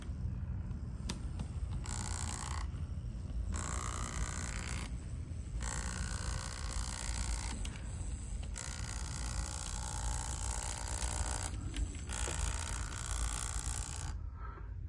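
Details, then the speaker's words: Bachmann N scale DD40AX locomotive with two CAN motors; low, uneven buzzing rattle while running on track from the first motor shaking loose in its cradle. "Somebody bought this and they returned it to the store. They weren't completely happy. But all it is this first motor here, it's shaking."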